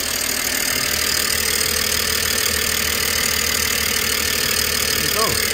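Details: 2007 BMW E90/92 318i convertible petrol, after rocker cover gasket replacement, started to check for leaks: smooth even idle with soft regular beat, no ticking, misfire or hiss; no leaks, healthy engine.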